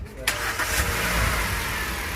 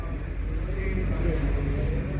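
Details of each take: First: Hyundai Grand i10 Kappa petrol engine with gas kit, after engine removal and rebuild for a tak-tak internal noise: catches on first crank and settles into a smooth, even idle with no knocking; sounds healthy. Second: Hyundai Grand i10 Kappa petrol engine at idle: rapid light tak-tak tapping over the engine note, from inside the engine; engine knocking noise, cause not yet found before engine removal.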